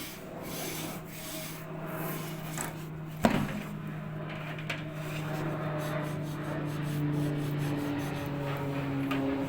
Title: When you fail to service your dryer,new motor needed, screeching sound when running.